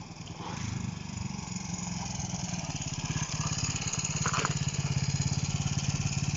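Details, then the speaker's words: Honda CB125 RS ridden on the street after fixing touching loose wires that caused problems: crisp, even firing that climbs smoothly as revs rise and pulls cleanly with no misses; running well. "she's going well so she's doing it she's flying"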